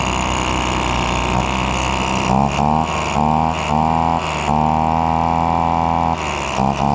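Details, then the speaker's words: Old Echo leaf blower abandoned about 3 years, after lubricating a sticking throttle that now returns fully: small two-stroke buzzes steadily, rising and falling cleanly with throttle blips; runs way better, normal running. "well now that we know it runs and it runs way better now when it first started it was not running good at all"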